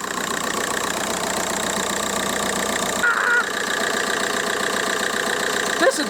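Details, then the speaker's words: VW Golf Mk4 with PD130 diesel, first start after injector loom replacement and EGR valve refit: even, steady idle clatter with no misses or hunting and no vibration; normal diesel idle. "there's no vibration it's it's running just like it should run it's a pleasant place to be"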